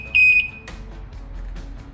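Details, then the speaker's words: Boat stern drive/outboard gauge check: single shrill steady beep about a third of a second as overheat alarm trips and temperature gauge reads hot once grounded; gauge and harness good, faulty temperature sending unit to be replaced. "we can now see that the bottom right corner cor second one in is now a reading that it's totally hot or that the engine is overheating and the alarm is going off"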